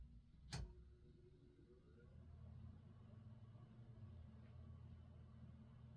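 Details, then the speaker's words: ILG Model 123 fan, 1/20 hp GE unit bearing motor with revarnished windings, run at half voltage through a transformer: brief click at switch-on, then a soft, low, steady hum with no buzz or rattle; the motor sounds healthy. "Seems pretty quiet now. I'm not really hearing any any buzzing whatsoever."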